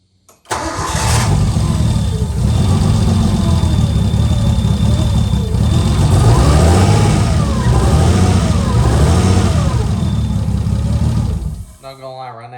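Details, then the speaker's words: RB-swapped Nissan S13 240SX first start in four years: engine catches and settles into a loud, raw, deep rumble with a rough chuff, sounding like a tractor, running with no exhaust fitted. "kind of sounds like a tractor an exhaust on"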